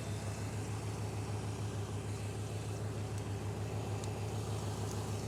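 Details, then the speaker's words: 1995 GMC truck after distributor scratch-test for no spark/no injector pulse, fuel pump replaced and distributor timing dialed in: smooth, even low idle drone with no hiss, miss or lope; normal idle. "so now that we did our timing is good and truck should run just good"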